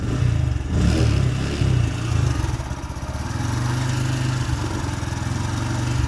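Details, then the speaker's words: Honda Grom MSX 125 single-cylinder revved up and down repeatedly, with a rough, strained note near 4,000 rpm that sounds like something dying. The noise persists, and its cause is not identified. "I'm still getting that noise though. I'm still getting that noise like at 4,000 RPM where it sounds like something's dying."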